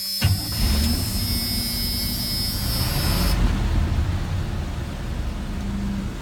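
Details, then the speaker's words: 1984 Chevy truck, 5-litre engine, odometer 95,000 miles (accuracy uncertain), new battery, start-up: catches quickly and settles into a steady even idle with a low rumble, no knocks or misses; starts up nicely. "it starts up nicely"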